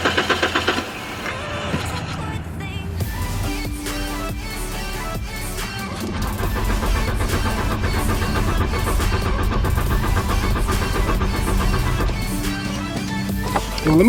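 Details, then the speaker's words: Mk3 VW Golf after new fuel pump install cranks steadily at about four turns a second but never catches; gas confirmed reaching the line. Later one spark plug was found without spark. Cause not confirmed. "okay so gas is definitely getting through the line so let me just keep trying to crank it and see what happens"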